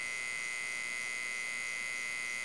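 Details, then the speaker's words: Homemade small 12 V to 220 V inverter with MOSFETs and a small transformer: steady high-pitched buzz with even tone and no rhythm, the transformer humming under power, attributed to the transformer's construction. "o aí é devido ao próprio transformador o feitio do transformador só pessoal ó e ele tá funcionando ali tem esse barulhinho aí né"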